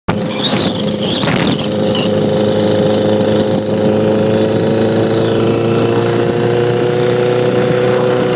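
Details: 2009 Repsol motorcycle idling with a light, rapid ticking through mechanical clatter; CCT already replaced but noise persists, cause unknown.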